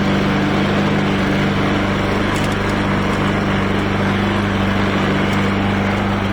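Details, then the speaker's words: 2011 John Deere JS26 push mower, trash-picked and repaired, running: loud steady drone with rough uneven rattle; source unclear, suspected unbalanced blade, unconfirmed; rattling while running. "so it sounds like there's still a lot of rattling going on somewhere it might just be in this setup and really that'll go away when i balance the blade"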